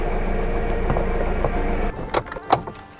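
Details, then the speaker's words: Alfa Romeo GT after ignition coil replacement for a misfire with engine light: engine light now off, smooth steady idle with no stumble or skip; scanner shows zero faults, running clean. "as you can see the engine light is off it's rubbing nice and smoothly"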